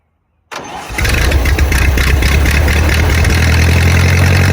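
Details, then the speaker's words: 1928 Ford Model A revived after 75–80 years sitting in a ditch: brief crank, catches within a second and settles into a steady, even low idle with no knocks or misses; carburetor had flooded earlier, clutch still being adjusted. "But all in all, she runs really, really good."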